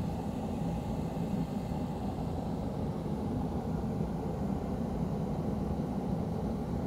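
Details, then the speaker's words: Dayton 3VE52D 210,000 BTU kerosene torpedo heater, outdoors after air pump cleaning and hand sanding fix: steady burner roar with constant fan hum, no sputtering or surging, lit and burning hot. "pull that trigger she's burning I'm excited about this now and hot - awesome"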